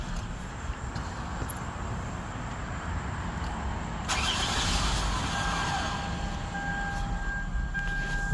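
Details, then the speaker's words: 2008 Toyota Avalon at startup: engine fires up, then a steady, fairly high-pitched whine rises out of the idle and holds; cause unknown. "about to start up this uh 08 Toyota Avalon if you guys could hear that sound if you know that sound what it means let me know you heard that let me do it again it's like a winding sound"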